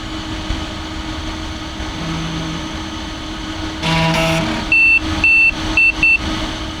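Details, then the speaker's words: Compaq DeskPro 286e powered on with the microphone aimed right up to it: loud steady fan roar like a vacuum cleaner, constant hum, and startup beeps and clicks; runs normally. "And I'm going to turn it on for you to hear on the podcast just how smooth this thing operates."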